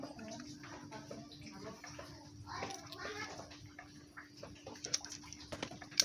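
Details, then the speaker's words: Honda Astrea Grand motorcycle engine after the short clutch spring bolts were retightened against the clutch housing: a steady, mid-pitched hum remains but is much reduced from before. Mild clutch gear whine. "suara dengung ada namun tidak separah tadi ya karena baut ini pendek"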